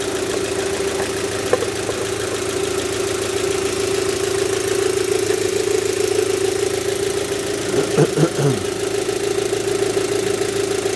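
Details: Rover 75 petrol engine idling after new spark plugs replaced the factory originals, cover still off; a steady mid-pitched idle hum with no misses or knocks, only a brief handling noise, judged to be running better.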